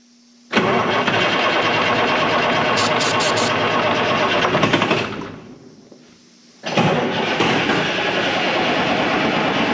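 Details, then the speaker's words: 1976 Ford F250 with a swapped 4-53T Detroit Diesel two-stroke, sitting since 1996. The starter cranks steadily for several seconds, pauses, then cranks again but the engine never catches. The owner suspects no fuel is getting through. "all right can you hear an injector squeak in there no go ahead all right I don't think it's getting fuel"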